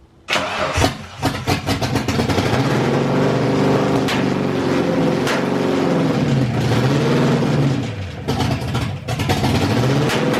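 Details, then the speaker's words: SN95 Mustang V8 with aftermarket bigger fuel rails and injectors, first start in months, heavy smoke, plugs soaked in gas: cranks, catches, runs lumpy with revs sagging and nearly dying twice. Owner suspects wrong fuel pressure flooding the engine. "it's soaked in gas so I think what's happening is because of the bigger fuel rails and injectors and all that and I'm probably running the wrong fuel pressure the car is dumping so much gas in there that it can barely run and then eventually it dies because it just drowns out the plugs"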